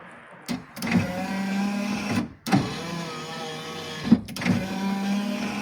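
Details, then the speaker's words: Daewoo Nexia 2 power windows after being modified to run faster: three quick, even runs of the window motor, each a steady hum with a clean stop; windows working normally. "Ishlashi cho'tki bo'ladi, xudo xolasa."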